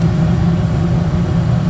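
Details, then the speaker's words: Gas furnace that kept cycling on and off, flame sensor investigated: now fixed, blower runs with a steady, even rumble and no cutting out. "I can hear the uh control board kicks and sensor send signal I'm ready blower start soon spinning yeah it's good I'm glad I find the issue"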